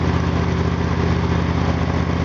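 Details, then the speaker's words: Engine just restarted after the spark plug gap was opened to 0.039 in: an even, steady low putter at idle with no misses; running smoother, normal idle. "now you started man pretty good that's running smoother now mm to me yeah doesn't seem to be cold all the blood"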